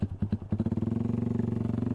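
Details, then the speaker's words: 125cc single-cylinder after a long trip and a week parked: idle picking up to a quick even beat with dry ticking clatter every stroke, loud valve noise because valve clearance was not adjusted; otherwise runs well. "แต่ว่าก็ยังมีอาการเรื่องของวาล์วดังนะครับเพราะว่าไม่ได้ตั้งแล้ว"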